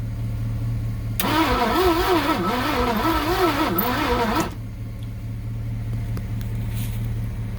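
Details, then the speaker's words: 1967 Thunderbird with a 428, sitting for 30 years, cranked after timing adjustment; starter spins about 3.5 seconds with wavering whine, seemingly weak, one cylinder possibly firing, but it never catches. "I thought you might have something there for a minute, but it was spinning a little faster. We were getting one cylinder to fire."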